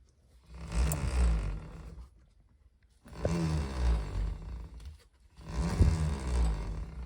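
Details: 2023 Zero FX ZF7.2 electric motorcycle with very low mileage: rough rumbling surges with a low grinding rub as the motor spins up and down. A failed main motor bearing is suspected, and the noise persists after the motor was replaced.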